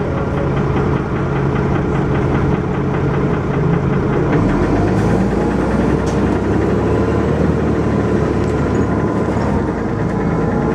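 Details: First Manchester Dennis Arrow bus 31923 (P423PVW), recorded 11 June 2012: loud heavy diesel drone with rough rapid knock following engine beat and thrash; knock cause unclear.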